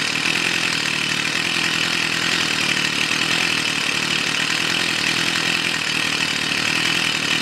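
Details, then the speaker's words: Stihl FS 55 two-stroke trimmer, previously wouldn't start (flooded plug, too much oil in fuel mix), after adding clean petrol: high even buzz, no stumbling or misfire; normal running. "все работает маленькой бы работала тепленькие стала пробую еще раз"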